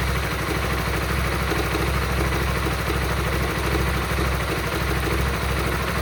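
Steady idle with a loose, irregular ticking riding on the exhaust pulse, roughly three a second; something sounds off but cause undetermined.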